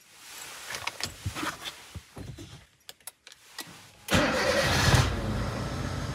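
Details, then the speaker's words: Car after replacing a worn clutch release bearing: few clicks, then quiet steady idle with no noise when pressing the clutch pedal, unlike the earlier grinding that worsened with the clutch pressed. "هو صوت المحرك هادئ وعند الجوس على دواس الدبرياج لا وجود لاي صوت مزعج"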